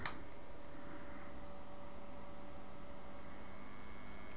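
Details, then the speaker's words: Household electric fan that died on its fastest setting, blades spinning freely by hand, plugged in and switched on: quiet, steady electrical hum with faint ticking as the motor badly struggles to turn; cause not yet known. "if she can hear that yeah that's really really struggling yeah it's bad"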